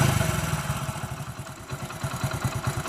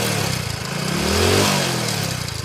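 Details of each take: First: Telugu mechanic's reference bike: even, steady single-cylinder idle thump at about seven beats a second with no knocks or rattles. The whole engine is in perfect condition. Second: A second single-cylinder bike with no smoke at the silencer revs up and back down with a loose "galagala" metallic chatter riding on the beat, rising with revs. The mechanic diagnoses a failed timing chain with valve noise.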